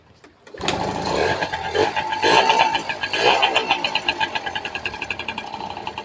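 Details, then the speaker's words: Two-stroke RC motorcycle that had spark and fuel but would not start, reassembled after crankshaft and stator teardown: catches after a second of cranking, settles to a loose popping idle; now starts easily, idles and revs fine; piston rings noisy. "เอาไปขี่แล้วเร่งใช้ได้ครับติดง่ายเดินเบาได้โช๊คใช้ได้ครับ"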